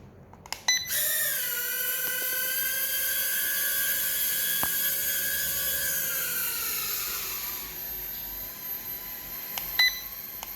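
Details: Holy Stone 450 mini drone on takeoff and landing after controller sync: high, thin whine with stacked tones settling as it lifts, holding steady, dropping on landing; motors sound healthy and even.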